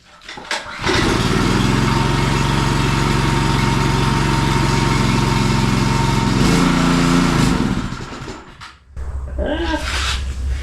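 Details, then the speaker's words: Power washer small engine run after carburetor cleaning: runs ragged and uneven, dips and stumbles near stalling; carburetor still partly clogged and slightly leaking, needs cleaning better. "Ooh, that doesn't sound good."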